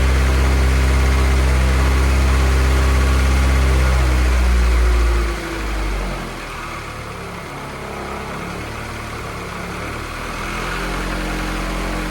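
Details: Honda F24 engine, first start of the newly installed motor before tuning, warming up to burp the coolant: a steady note holding speed, then dropping to an even settled idle with no knocks or misfires. Normal idle.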